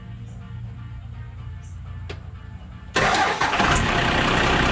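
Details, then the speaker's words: 1997 Dodge 2500 12-valve diesel, cold start after the battery terminals were cleaned: near silence, then it catches almost immediately and settles into a steady, even clatter. A clean, strong start that fixed the weak or no-start problem. "all right so that's how well it starts that's the way it started when i first got it and it's been running like that ever since"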